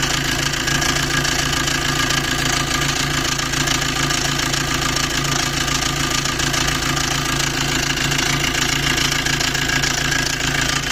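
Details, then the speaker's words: Maruti Dzire at idle, heard near the engine: loud fast metallic rattle about twice a second over steady idle; timing chain rattle needing chain set replacement. "अभी मैं engine के पास जाता हूं तो वहां पे आप देखना इसकी कितनी ज्यादा नॉइस है की कितनी ज्यादा आवाज ए रही है"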